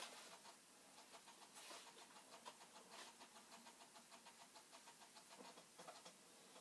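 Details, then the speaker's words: Commodore 64 with 5.25-inch floppy drive struggling to load an old disk: quiet rapid regular clicking with rattly bursts as the head goes crazy retrying; owner doubts it will read, cause suspected, not confirmed. "Yeah, see how this, something is trying to load, but it is having a hard time. Ugh. A very hard, it's not going well. The head is going crazy."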